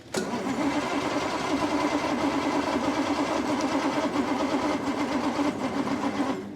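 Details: 1962 Rover P4 in freezing cold, after a faulty battery switch was found: starter cranks steadily at an even, healthy pace for six seconds but the engine never catches; points sparking, fuel smell; intake blockage starving it of air.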